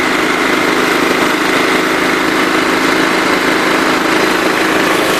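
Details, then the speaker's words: John Deere LT133 lawn tractor with a Kohler Command single-cylinder engine, held at wide open throttle: steady, even high-speed drone with no surging or misses, little throttle travel; normal full-throttle running, though an unidentified rattle is heard. "That's wide open throttle right there, so you can tell there's not a lot of travel in the throttle."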